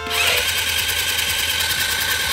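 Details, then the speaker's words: Italika TRN150 12 V scooter cranking: steady high starter whir without compression chuffs; first thought to be lost compression, but the magneto turns while the timing chain and camshaft do not, so the cam isn't driven. "yo sinceramente pensaba que era la compresión porque se oye iguali Tito que una moto cuando ya no tiene compresión pero miren vemos que no gira aquí lo que es el árbol de levas ni cadena de distribución"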